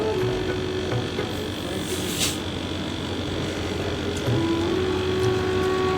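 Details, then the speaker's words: 1-ton AC unit that ran but didn't cool, after full gas charge: steady low hum and even airy rush with no rattles or surging; pressure a bit over 65, current about 4.5 A, running normally. "তো gas ঠিকই আছে, গ্যাসে কোনো problem নেই, এসেও সুন্দর চলছে।"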